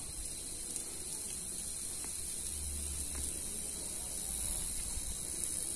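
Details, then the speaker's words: Running CRT tube TV with a steady high-pitched hiss and crackle over low hum: high voltage leaking from the flyback anode cap, sparks visible in the dark; fix is repairing the anode cap area. "Nah kalau kalian bisa dengar di bagian couple begini diet ini terdengar suara percikkan dan desisan ya Hai jadi itu adalah tegangan tinggi yang bocor Hai yang keluar dari Kompleks baiknya"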